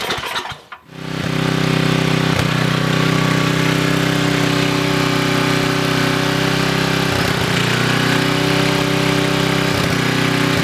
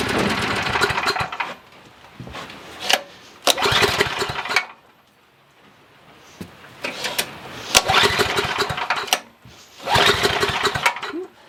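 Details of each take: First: Coleman Maxa 5000 ER 5000 W generator, no fuel leaks: a brief crank, then the engine catches and settles into a steady, even drone with no misses or hunting; ran about 5 minutes, healthy. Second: Coleman Maxa 5000 ER 5000 W generator, bought used with old fuel still in it: the engine catches and runs a second or two, then fades and dies repeatedly; it idles only briefly before bogging, starved of fuel by a dirty carburetor.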